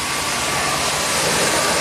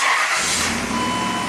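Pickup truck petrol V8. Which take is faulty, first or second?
first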